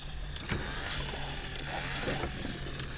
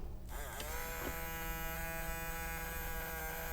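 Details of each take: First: 1986 BoToy Mr. T robot being refurbished: a thin, uneven, sluggish motor whir with scattered clicks and ticks and the eye lights barely lit; weak motor from bad batteries, with direct power used to compare. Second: 1986 BoToy Mr. T robot being refurbished, small motor run on bench voltage after light 3-in-1 oil: steady high buzz for about four seconds, then stops; the motor now spins freely.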